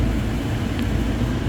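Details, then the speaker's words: 2006 Ford Explorer blower motor after replacement; the old motor kept running and would not turn off. The new one gives a steady, even rumble and whoosh with no squeal or rattle, and the off button now works, confirming a bad blower motor. "and when I hit the off button it controls the blow motor so it was just a bad blow motor"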